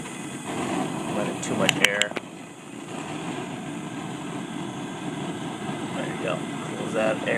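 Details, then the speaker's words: Bayou Classic Banjo Cooker KAB4 propane burner (30 PSI adjustable valve), regulator opened up to bring water to a boil: loud, steady jet-like roar and hiss with no flicker; too much air, so the air intake shutter needs closing a little. "So now we're going to open up our regulator valve. So we can get this guy to start boiling. Sounds like a jet."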